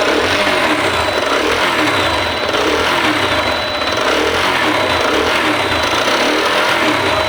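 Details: TVS Apache engine running with a busy, rhythmic top-end clatter that sounds like cylinder noise, but the fault is the camshaft, not the cylinder.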